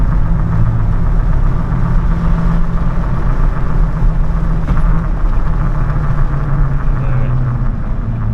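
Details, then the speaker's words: Truck on the noisy aggressive tires that came with it, cruising at steady speed. Loud, constant low road drone with no knock or whine, from the tires roaring on the pavement; these were later swapped for stock wheels and tires. "They were real noisy. They were much rain tires, and like I said, I'll throw some clips in to see if you guys could hear the sound and everything. But yeah, they were real noisy."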